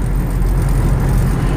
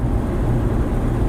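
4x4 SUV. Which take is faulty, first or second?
first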